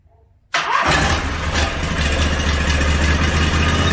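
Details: Briggs & Stratton 18.5 hp V-twin that sat outside 20 years, on an engine stand after a starter clean-up, carburetors not yet rebuilt: silence, then it catches and settles straight into a steady, even run with no misfire; first fire.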